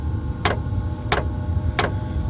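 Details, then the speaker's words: Diesel heater in warm-up phase, set to level one: sharp even ticks about every 0.7 seconds over a low steady hum as the fuel pump starts pulsing; normal operation. "okay you hear that the fuel pump is starting to go that's what the ticking is"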